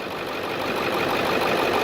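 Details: 2002 Ford Excursion 7.3 diesel, just after replacing the seized pulley/tensioner housing and frayed serpentine belt: steady, even idle with smooth clatter and no squeal, chirp or belt slap; accessory drive sounds healthy, normal idle.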